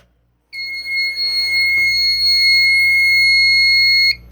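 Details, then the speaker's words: Fire alarm panel goes back into alarm because the pull station was not reset: loud steady high-pitched alarm tone for about three and a half seconds, with a faint relay click early on. "I'm going to demonstrate the panel going back into an alarm if you don't reset the pull station."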